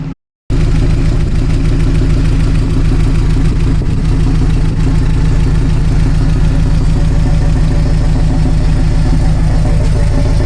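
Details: 1974 Alfa Romeo GTV with swapped Honda S2000 engine, after repeated idle-setting adjustments: steady, even low rumble with no misses or knocks, a healthy idle at about 900 rpm.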